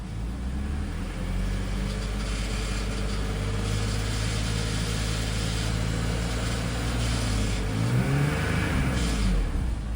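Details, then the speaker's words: BMW X5 E53, M54 3.0i, warm: revving and idling with rough uneven knock under the running note, also appears at idle; cracked torque converter flexplate, may show more under drive/reverse or AC load. "Ну, в целом, бессмысленно сейчас прогревать, так как на прогретую он на холостых начинает проявляться примерно так же. То есть прямо на холостом ходу вот этот вот звучок появляется."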